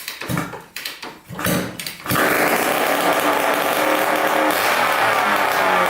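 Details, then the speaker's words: 1987 Kawasaki KX125 two-stroke dirt bike after fixing a fuel leak, run without its expansion pipe: a few sputtering kicks, then a loud, steady, raspy buzz, no leaks, smoking the right amount, not lean; runs fine. "sounds pretty good still no leaking so that's awesome sounds pretty decent without the pipe very loud but it's smoking the right amount doesn't sound too lean or anything"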